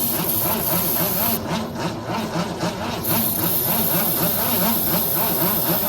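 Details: 1964 Ford Falcon wagon that sat 46 years in a field with plugs removed, cranked after reinstalling plugs: steady, sluggish cranking at about four beats a second with no catch; weak starter cannot spin the engine.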